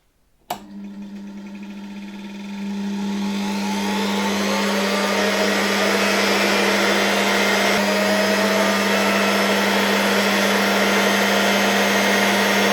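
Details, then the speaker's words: Probably early-1960s Czechoslovak Tiger 808 (type V 401) vacuum cleaner motor: smooth, steady even hum after spin-up, bearings barely audible, no excessive brush sparking; runs clean and healthy. "Very nice running engine. Smoothly, quietly."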